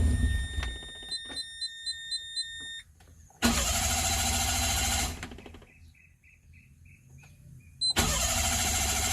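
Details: Mira car, crank no start: after dash chimes, two long cranking bursts, starter spins but engine never catches. Caused by a failed fuel pump, replaced at a repair shop.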